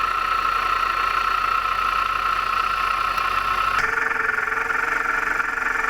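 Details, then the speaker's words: Engine at idle, each component probed with listening tool: steady rough hard-edged growl strongest at water pump, shifting as probe moves; worn water pump bearing suspected, pump still to be isolated to confirm. "Sounds to me like the water pump was making the most noise. It was kind of a growling noise, which happens when the bearings go bad. They tend to growl on you."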